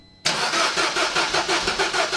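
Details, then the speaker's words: Peugeot 207 CC, engine believed EP6DT from VIN, before compression test, owner unsure if internal damage: starter cranks with regular chug about five beats a second, nearly fires but doesn't catch; cranks, won't start. "she nearly fired [Music] but then that could still do that even if the"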